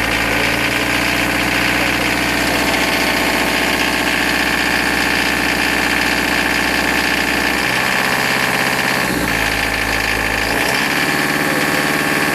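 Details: Nanni marine diesel under throttle: loud clatter with an uneven knock about three per second. The oil change and obvious checks found nothing. Refurbished injectors and adjusting the slightly out-of-spec valve clearances cured the knock.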